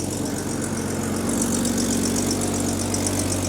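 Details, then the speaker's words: 1984 Jaguar XJ6 Series III after head gasket replacement and cylinder head refit: steady even idle, no misfires, with a sharp puffing tick about four a second on one side; exhaust leak from cracked, modified downpipe. "so there you have it engine runs and starts it runs pretty good actually we don't have any misfires but we do have a exhaust leak on that side"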